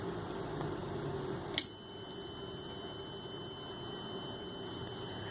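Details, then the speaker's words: Philips 32PFL4507/F7 TV power board: thin, steady high-pitched tones start abruptly and keep chirping as the supply hiccups into a shorted 3.3 V output. The short is typically a failed filter capacitor on the processor supply, probed with a Hall-sensor current probe. "Ese corto es muy característico, ese sonido, perdón, es muy característico en este tipo de fuentes cuando hay un corto en la salida de 3.3 voltios."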